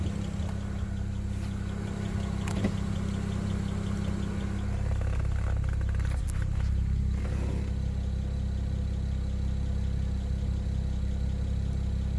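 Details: 2007 BMW 335i petrol engine: steady running with an odd sharp knock that comes and goes, sometimes twice in quick succession; intermittent noise, source not identified.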